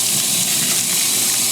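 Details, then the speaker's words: High-efficiency top-load washer in Auto mode at the start of the fill, with little water in the basket. A few streams of water spray in while the basket is moved. Steady hiss, no low drone or knocking: normal fill. "So when it starts to fill, this is what it does. It's got these streams of water coming in, and it's just moving the basket, or the tub, I guess, whatever you want to"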